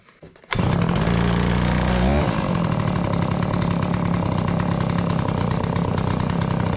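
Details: Garage-sale Dolmar 112 chainsaw, revived with fresh fuel after pulls to get fuel to the carb: catches into a steady, even two-stroke idle buzz without stumbling; healthy idle, oiler working.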